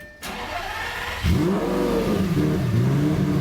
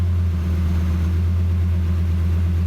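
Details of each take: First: Lamborghini on the reverted tune with the flex fuel sensor working, in neutral: it starts, flares to 3000 rpm, and with a little gas the revs hunt raggedly, it runs poorly, then dies; the base map is from an e-gear car and this car is not. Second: Cheap Lamborghini, just started: the idle flares to about 1800 rpm, then settles at 1100 rpm into a smooth, even idle with no misses or knocks, idling pretty nice.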